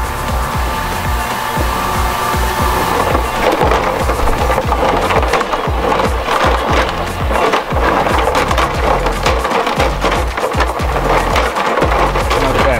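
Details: Bunn Ultra-2 slush machine after replacing a cooling solenoid, both sides set to cold: continuous gritty crunching and scraping as the auger churns ice, steady and even; freezing properly.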